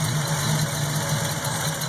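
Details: 1967 Pontiac Firebird V8 running on its newly installed and tuned Holley 670 Street Avenger replacement carburetor: an even, deep burble holding a steady beat at idle, with no miss, stumble or knock. Normal healthy idle.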